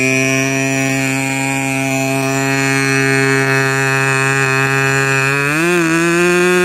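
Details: K&B 40 model 4011 glow engine after rebuild (new bearings, ring, gaskets), not yet broken in, 10x6 prop, peaks around 12,600 rpm, idle around 2500: loud, steady high-pitched buzz with an even note rising smoothly as throttle opens; good power and transition, normal run.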